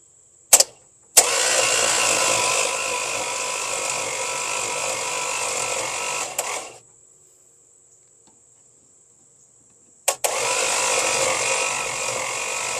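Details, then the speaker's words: Seized slant six after freeing stuck intake valve #3, straightening push rod and hand-turning: two bursts of slow uneven starter cranking, about 1.5 turns per second, no firing; still stiff, needs loosening, push rod no longer bends. "we still needs to loosen up some more but it's better and the push run doesn't Bend anymore at least for now"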